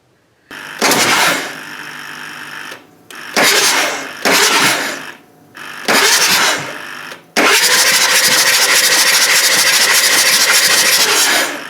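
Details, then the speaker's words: 2000 Ford 7.3 Powerstroke diesel after injector O-ring and turbo replacement for massive oil consumption (3 gallons in 120 miles): bursts of fast, even, airy cranking with the glow plugs out and no compression chuff, clearing oil and fuel from the cylinders. "but for right now it's on there the oil passages are closed up so we can go ahead and crank this over and evacuate any oil or fuel that's in these cylinders before we put the globe plugs in"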